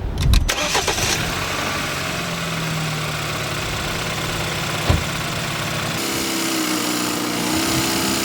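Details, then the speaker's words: Used BMW, around 100,000 miles, starting and idling: quick crank, catches cleanly, settles into smooth quiet even idle, engine not shaking, no ticks or misses; normal healthy start and idle. "The engine is purring real nice and quiet. You see the actual motor itself, it's not shaking or wobbling, it's nice and stable."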